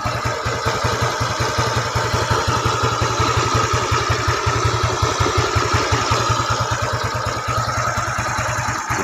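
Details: Yamaha Nouvo scooter with a 54.5 mm piston and custom camshaft, stock head, valves, carburetor, exhaust and air filter. Single cylinder putters at a quick, even idle with no knocking or rattle. Normal, smooth idle.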